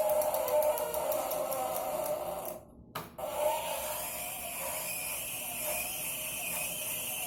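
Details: Tacx Flux trainer: a thin, steady squeal with quick irregular ticking over the trainer's whir; the source of the squeal and clicking is unclear.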